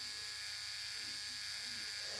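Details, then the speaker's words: Cheap Dragonfly-replica rotary tattoo machine with no rubber bands, run at 6 volts. A quiet, steady high-pitched hum with an even tone and no rattles or stutter: "quiet as a mouse", running smoothly. "Alright, let's listen to this little guy run. He's quiet as a mouse, so. That's at 6 volts."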